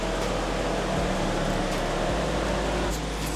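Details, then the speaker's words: BMW 550i N63 V8, electric radiator fan triggered at full blast through BMW ISTA: a steady, strong airy roar with a faint low hum, constant throughout. Normal radiator fan operation. "And hopefully you can hear the fan has started. It's at full blast right"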